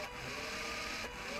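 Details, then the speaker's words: Arduino-controlled robot DC motors driven via 7404 hex inverter, PWM speed ramping up: thin high-pitched controller whine over faint hiss at low duty cycle until each motor gets enough duty cycle to turn. "you can hear the the motor controller is whining as they're bringing up the speed until eventually they get enough duty cycle let the motor will turn"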